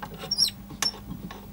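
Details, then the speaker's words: Pioneer SX450 receiver, rusty, dial tight near top of FM range: short high chirpy squeaks as dial is turned; something dry binding in tuning mechanism, owner doubts pulleys, suspects dial cord or stiff knob, not confirmed. "You can hear something squeaking there. Ooh, something's. Well, it can't be the pulleys, I don't think."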